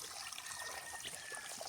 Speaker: Das Problem ist, dass diese Verbindung der Wasserohre nicht fachmänig gemacht wurde. Die haben die Rohre nicht richtig zusammengesteckt.